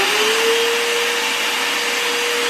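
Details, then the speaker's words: Hoover upright vacuum after repair for failing to pick up debris or spin the brush: steady high-pitched motor whine with an even airy rush, brush roll now turning properly when lowered to the floor; normal running. "Okay, so now you can see it's not turning right here, still the way it's supposed to be. And now we'll bring it down to the floor, and you can see it turning just the way it's"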